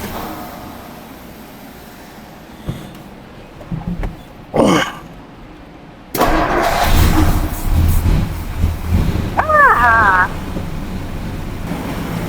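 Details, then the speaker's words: 1961 Ford F250 pickup, worn 223 six-cylinder, first start after revival: cranks a few seconds, catches, settles into an even running note with a couple of blips, no knocks; timing sounds close, belt possibly a little loose. "what a happy dance doing pretty good sweet Mama sounds good yeah it does hot doggy wonder how many horsey Powers it's got"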